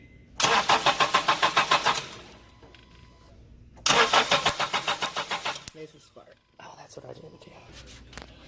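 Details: Crank-no-start test: two bursts of quick, even cranking strokes, about three a second, engine turns over but never fires; security system not blinking, so spark is being checked at the pulled ignition coil.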